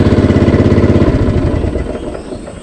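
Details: Cox Stockman ride-on mower, started with the blades up, on cold start and handbrake on: small single-cylinder engine puttering at an even beat, then easing off and fading away; normal healthy run.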